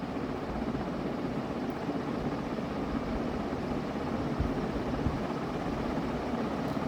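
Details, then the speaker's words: Vintage Dayton 4C721 60-inch industrial ceiling fan (cast-iron motor, aluminium blades) switched up to high speed: steady, even rush of air with no ticking, rubbing or growl. Fan and bearings sound healthy; normal high-speed running. "okay and let's just take it all the way up to high oh that was off"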